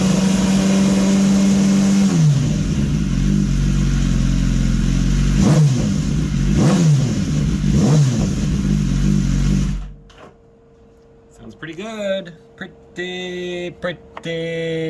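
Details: 2015 BMW S1000RR with an engine swapped in from a crashed bike, motor warm, running to clear carbon buildup and race fuel left sitting about two weeks. Smooth hum, then clean, quick revs with sharp stops, no misfire or knock: healthy.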